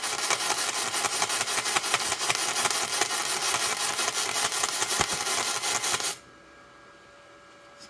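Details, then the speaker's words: ArcCaptain MIG130 inverter welder doing continuous MIG welding, cranked back up to 130 after 110 and 120 passes: crackling, sizzling arc pulsing unevenly about three times a second. Owner is unsure whether this is normal for an inverter welder, as his Eastwood welder burns smoother. "pulsing a lot maybe that's a thing with an inverter welder like this I don't know I'm used to a smoother burn with my uh my Big East Wood welder"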